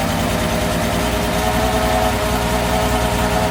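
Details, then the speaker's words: Mercedes SL320 unused for 3 years, cold start in freezing weather: rough lumpy idle with uneven stumbling thump, not running on all cylinders — misfire. "actually she runs pretty bad okay but it does start it does it does start it does run it does not run on all cylinders which is a huge problem"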